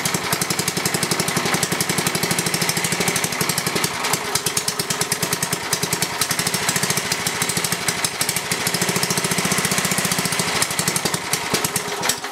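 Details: Briggs & Stratton 11 hp flathead (model 25), first run in a year, cold start after 30s°F night, carburetor adjusted a little: rapid even single-cylinder firing at steady pace, no misses or knocks; runs well, burns a little.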